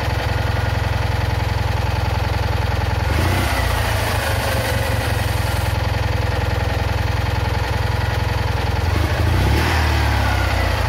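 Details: Citroën Ami 8 flat-twin, hot: uneven low idle, pulses stumbling now and then among steady beats; intermittent ignition misfire the owner is certain comes from the condenser.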